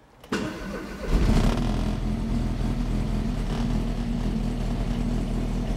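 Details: Ford XR2 crossflow four-cylinder on newly fitted Omex individual throttle bodies: it cranks and catches at once, gives a quick blip, then settles into a strong, steady, deep-throated idle. Starts and runs cleanly.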